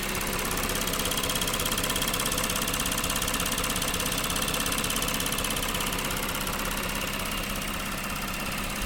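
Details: Lexus GS 300 3GR-FSE at 184,000 km (114,000 miles): even idle with a fast regular tick, about three per second, from the left of the engine and a faint whir from the right. Appeared suddenly after heavy water reached the engine's rear; cause unknown.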